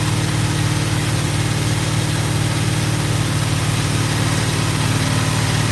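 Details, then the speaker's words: GMC truck on first start with headers, HEI module suspected burned out: steady idle with a puffing, ticking exhaust pulse about three a second over a low rumble; exhaust leak. "oh yeah we're in good shape she farts like a kitten I got an exhaust leak to fix sweet"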